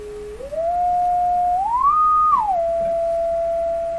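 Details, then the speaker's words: Electrohome Cosmic tube radio speaker driven by a signal generator to check for distortion: a single clean tone glides up, holds, then drops, with no buzz, rattle or crackle. Speaker output normal. "let's give it a little signal well that sounds lovely to me"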